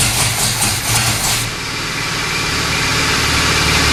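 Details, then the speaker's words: 1970 Pontiac LeMans 455 with Quadrajet, not run in a long time, fuel poured down the carb, rebuilt transmission: a few rough catches then within two seconds a steady even idle with no miss or knock; sounds healthy. "so i think sounds awesome all right so it starts it runs"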